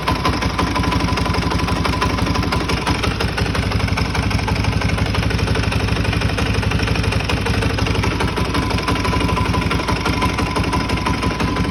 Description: Bike has a big bore kit to 430cc, vertex piston, picked up as is but is making this nasty sound please help or guide me to what it could be!